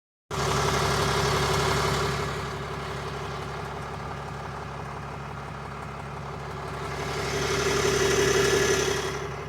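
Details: 2022 RAM 3500 idling after 2 hours of driving: steady low pulsing with a whirring tone that swells midway; owner can't tell if it is normal, cause undetermined.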